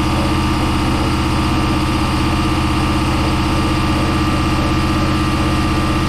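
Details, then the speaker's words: Project boat, starboard engine at its first start-up on a water hose: steady low idle with a regular fast tapping at about four per second; owner suspects a rod knock. "That don't sound good. All right, let's try the other one. Might have a rod knock in this one. Starboard engine, this one here, sounds like it has a rod knock."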